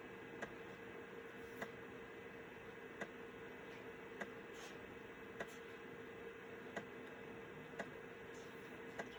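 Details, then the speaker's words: Citizen W1D floppy drive in a Compaq Armada 7770DMT after belt replacement, full-formatting a 1.44 MB diskette: steady spindle hum with a crisp head tick roughly every second as it steps tracks; normal floppy drive operation. "You never know what you have or how far technology comes until you have to wait on a 1.44 megabyte diskette."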